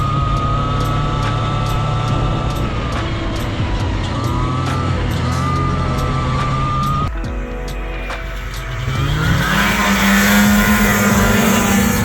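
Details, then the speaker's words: Arctic Cat Jag 440 snowmobile (about 1982), two-stroke on roughly 50:1 premix, revived after sitting for years, riding in snow; crisp buzz revving cleanly, no misfire or bogging; owner hopes it isn't running too lean, little smoke; healthy. "I hope she ain't running too lean not smoking a whole lot"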